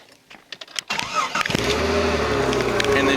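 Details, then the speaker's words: 2001 Jeep Cherokee XJ after fixing a crank/no-start with blowing fuses F16/F11 caused by a shorted transmission control module; a few quick cranks then it fires right off into a steady, even idle. "fires right off so don't be afraid of electronical diagnosis"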